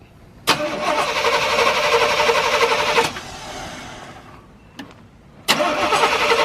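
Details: 1987 Chevy C10 fuel-injected truck abandoned 10+ years, after replacing both fuel tanks and pumps. It cranks and catches, runs a few seconds, drops away, then fires again and settles into an even idle.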